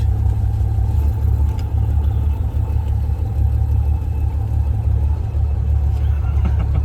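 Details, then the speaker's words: 1979 Volare wagon showing 70,000 miles on the odometer, run after 4 years sitting in a junkyard, with a swapped carb, plug wires, coil and alternator: a heavy, uneven, lumpy rumble at idle. It is running really rough, with a leak and a Freon smell; the cause is not yet found. "A van usually takes about 15 minutes before it does anything. But this thing's really rough."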